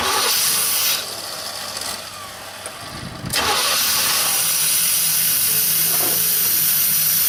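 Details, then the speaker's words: 1989 Formula, original 95,000-mile engine and transmission, sat 3 years: brief crank, then a steady, even idle with no knocks or misses and good oil pressure; butter smooth. "She runs. She runs good. Good oil pressure. Didn't skip a beat. Sounds smooth, butter smooth."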